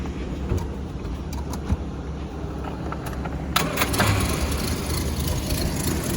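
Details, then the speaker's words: 1978 Triumph Spitfire 1500 Mk4, 73,277 miles, original single carb: a few light clicks over a low rumble, then the small four-cylinder starts quickly and runs steadily. Runs great; slight exhaust leak at the header. "Yeah, starts on the button, runs great. It's a really great running little engine."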